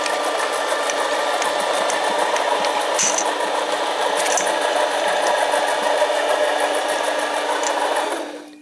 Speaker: nice even even cut on there and I show in a second that the edge is probably much better